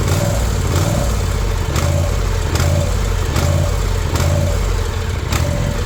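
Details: New Ariens Ikon mower with a Kawasaki FR691V V-twin, 5 hours old, surging since new, before the carburetor is cleaned: idle swells and sags roughly every 0.8 seconds and never settles; surging idle.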